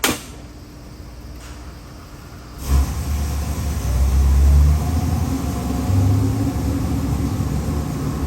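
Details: Ford 7.3L Godzilla 675 hp crate V8 with Innov8 stack injection, forged pistons and H-beam rods, headed for an AC Cobra replica, on a run demo: the starter whirs, it catches near three seconds and settles to a deep, even idle with a few blips; healthy.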